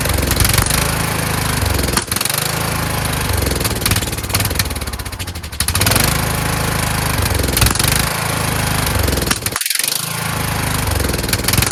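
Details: Kohler Courage engine mounted on a tractor, started on choke: uneven chugging that surges and sags every few seconds and nearly drops out once. The owner suspects the throttle bracket, since a return spring on it made it want to stop. Rough running.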